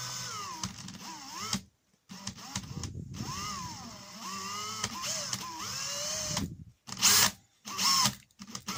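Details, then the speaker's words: Makita DHP483 cordless drill: the motor whirs up and down in pitch, then drops out and cuts back in unevenly, and the chuck sometimes doesn't turn at all. An intermittent trigger switch; the owner is 90% sure the trigger is the cause. "I could put the trigger in sometimes at all and it doesn't work, so when I put in the trigger you find that it's only cutting bits in and out, and it should be starting, the chuck should be starting to move there, and it's not."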